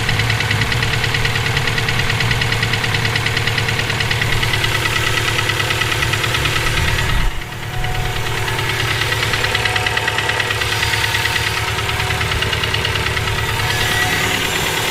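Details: Subaru EJ257 flat-four knocking for about 17k miles since purchase; idle with a rough, steady knocking rhythm over the low throb; owner suspects rod knock, spun bearing or valve lash needing adjustment, cause unclear.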